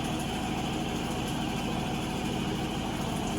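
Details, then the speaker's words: Avanti TLW21D2P portable washing machine, found discarded and under repair. It spins after the pump-function test has drained the water: a steady loud whir with a fast, even low throb and no scraping or knocking. The machine sounds healthy. Normal spin cycle. "It's spinning. The water is out already."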